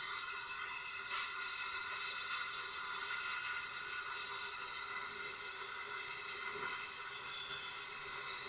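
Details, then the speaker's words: Tecumseh small engine on leak-down test at top dead center, 80 psi, not running: steady airy hiss of air blowing out the exhaust past a leaking exhaust valve, slight leak also at the head and oil tube; exhaust valve leak. "Back up to 80 PSI again. And it is just blowing out of the There we go. There. I got it to close up. So, it's definitely we got definitely have a valve issue of some kind."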